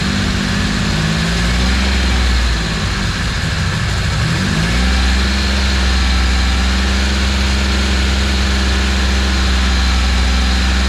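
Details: Cammed Ecotec turbo engine ("Sam") running for the first time after being rebuilt and put back together; it blips up, then settles into a steady, even low idle with a lumpy cam rhythm and no knocks, running healthy.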